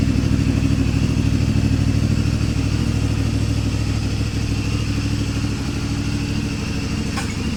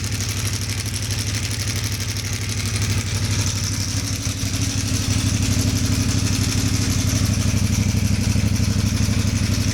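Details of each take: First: CFMoto 450 MT whose engine turned very rough at 4,767 km from a failed cam chain tensioner, fixed by the owner. After the repair: steady, even exhaust beat at idle with no top-end ticking or rattling, sounding healthy. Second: CFMoto 450 MT at 4,767 km, camera near exhaust: loud harsh clatter over the engine's steady low beat, louder than the exhaust and growing with revs; stuck cam chain tensioner piston letting the chain rattle.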